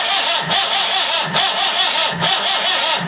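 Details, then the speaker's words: 1984/85 Perkins 4.236 marine diesel after 3 months sunk in salt water, injectors removed, water still inside: starter whirs in slow, heavy pulses about one a second, engine turns over without starting. "it cranks over it goes well oh not well but cranks over at least"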